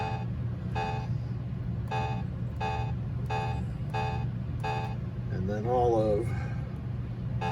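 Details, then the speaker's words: Williams Taxi pinball MPU board after capacitor, NVRAM and FET repair, in switch test: evenly spaced short beeps about every 0.7 seconds over a low hum; each switch registers normally. "the next test is switch test so let me go through all of row"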